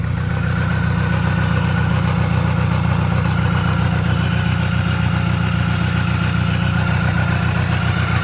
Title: 02 mini cooper S misfire in cylinder 2 #r50 #r53 #mini #minicooper